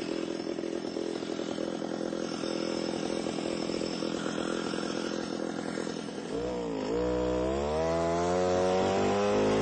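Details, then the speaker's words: Alpine Magnum trencher cutting trench in repeated passes down to 8–10 in deep. The small engine drones rough and low, pulsing about four times a second under digging load, then revs climb as it frees up; engine bogging under load. "if this happens to be a little bit on the wet side and so you can hear the motor bogging down a little bit"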